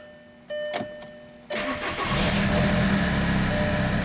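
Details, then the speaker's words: 2002 VW Jetta 1.9 TDI ALH with check-engine and glow plug lights on, no serpentine belt, radiator hose off, no antifreeze: dash chimes, brief crank, catches within a second, settles to even diesel idle clatter. "I'm shutting this ride off because if you remember it's got no serpentine belt it's got greater hose completely off no antifreeze in it but we now have a running car"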